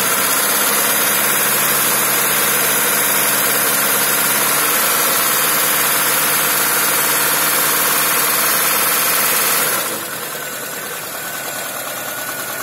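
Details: Engine knock at steady idle: a regular light knock about three to four beats per second underneath, constant throughout; cause unclear.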